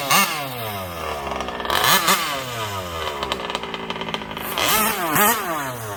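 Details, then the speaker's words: MCD XR5 71cc minibike, refueled after a kill switch, engine mount, gas tank and front brake linkage install: a good idle and clean revs with no knocks, sounding healthy. "start it up good idle good and uh time to take it up down the street a couple times"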